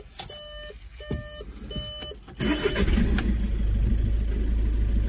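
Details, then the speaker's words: Audi A1 Sportback diesel after service, fuel filter emptied and primed by cycling the ignition so the pump fills it: three chimes, brief crank, then catches and settles into a steady even idle; normal start and idle. "ça s'est amorcée ça tourne toi bien"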